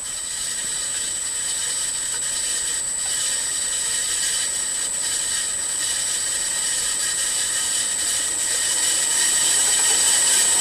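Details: Milling machine M head after new pulley-housing bearings, VFD-driven on highest pulley speed, around 30 Hz: even high whine rising slightly with speed, no rumble or grinding; pulley housing quiet, slight motor noise remains.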